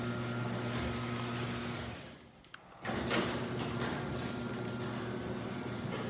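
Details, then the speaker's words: Chain-drive garage door opener before its rail is lubricated: constant rattling drone, then a pause and a louder resumption. The door itself is quiet; the noisy opener is blamed on the dry rail needing lubrication. "so let's listen to the operator door itself is pretty darn quiet Oprah's kind of loud because I had to lubricate the rail"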